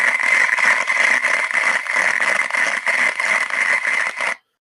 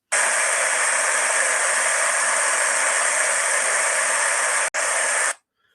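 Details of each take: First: Damaged rolling bearing heard via structure-borne ultrasound, running with heavy friction: harsh crackling hiss with rough pulsing about three times a second, in contrast to a smooth-sounding good bearing. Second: this is a beding in a good condition you will hear it's just a nice smooth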